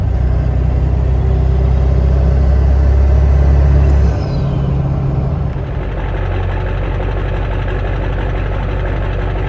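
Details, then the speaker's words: Stock 7.3 Powerstroke diesel with rebuilt, upgraded larger later-model turbo and 4- or 5-inch exhaust only, warming up: deep, steady idle with a faint high whistle that rises briefly, then settles. Normal idle with light turbo whistle. "I believe it has a 4-inch or 5-inch exhaust on it, and that's Whistle on light loads. I don't know if you guys can hear that, but on spool up it sounds great."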